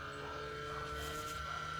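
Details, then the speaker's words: Xbox 360 external power supply makes a steady high-pitched whine over a low hum while the console runs; console still turns on normally, cause and safety unknown. "Que é esse problema aqui da fonte, da fonte aqui atrás. Ela faz um ruído, tipo, um ruído muito estranho."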